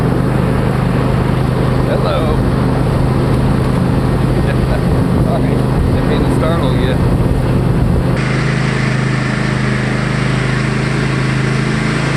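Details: Cub Cadet Enduro XT1 LT46 mower after replacing a cracked starter: small engine fires up quickly and settles into a steady, even run with no misfires; starter fix confirmed.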